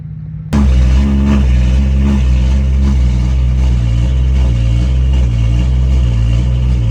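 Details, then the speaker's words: BMW 135i N55 after a new cylinder head, codes cleared, running Valvetronic learning cycles with no check engine light: engine settles into a deep, steady, even idle with no knocks or misses, getting cleaner through the cycles; normal idle. "You can hear the idle getting a little bit cleaner too as the car is running through the cycles."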